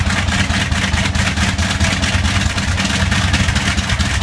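Big radial engine running with a loud, rough, uneven beat and an irregular stumble now and then, pointing to a slight misfire. Cause suspected, not confirmed.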